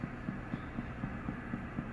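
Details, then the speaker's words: NIM 3 nerve integrity monitor with simulator: soft low thumping pulses about four per second as the unit sends its stimulus signal to the electrode pencil while displaying check electrodes. "you hear that little pulse pulse faults that is the unit sending out a signal on here and trying to detect it sends it out check electrodes it says"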